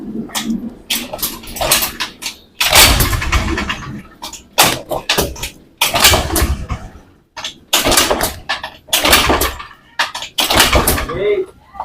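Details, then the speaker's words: Honda Beat FI scooter hard to start: cranks in rough bursts with weak-seeming battery, idle rises and falls, throttle must be held, dies when throttle released or opened. "Jadi intinya motor ini untuk hidup sulit bilaana kita gas motor ini langsung mati ya tidak kuat jalan"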